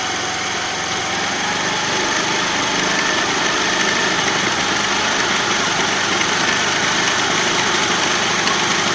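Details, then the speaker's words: Hero Pleasure scooter at idle, plug cleaned, carburetor mixture screw turned slowly to find the fastest-idle point for mileage setting: busy, high-pitched buzz climbing gradually and holding steady as idle speed rises. "आप देख रहे कि धीमे धीमे इसकी इसका accelerator जो है बढ़ रहा है"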